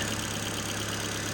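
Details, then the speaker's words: Ford Fiesta, engine warming up to temperature; even steady low idle hum with no skips or stumbles, no misfires; normal idle. "but yeah well John's car is ticking over very very nicely"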